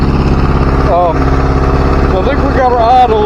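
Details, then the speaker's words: 1977 Chevy LUV four-cylinder, first start after refitting the carburetor, no exhaust fitted, smoking, probably from brake fluid in the vacuum system: fast, even idle sitting well above normal tickover. Owner suspects a vacuum leak. High idle. "high we turn that back a little bit sounds like we have a vacuum leak somewhere I don't know where"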